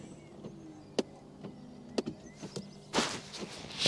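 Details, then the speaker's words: 2005 Mercedes CLK240 convertible, 97,606 miles, ignition on with the engine off, mic near the dash: quiet clicks about once a second that stop after a while; blower direction stepper motor suspected, not confirmed. "I'll bring my microphone a bit closer so hear that clicking that I believe is the stepper motor for changing the directions of the fan blower and it clicks away like that for quite a while but I think it must stop after a while there we go it's just stopped"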